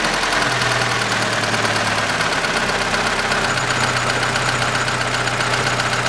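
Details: 2006 Chevrolet Lanos, 1.5 petrol, manual, FWD, 342,000 km, after replacing a worn valve rocker arm: even, steady idle with a smooth low drone and no top-end ticking; the valvetrain sounds quiet.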